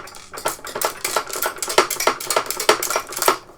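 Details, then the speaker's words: Sega Master System 2 (RF output only) before strip-down and recap; irregular light clicks and rattles, about one a second, as the case is tipped; something loose bouncing inside, possibly metal that could short, not yet identified. "That doesn't sound good, there's something bouncing around in there."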